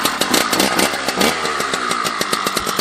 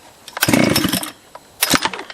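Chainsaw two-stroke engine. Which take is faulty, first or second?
second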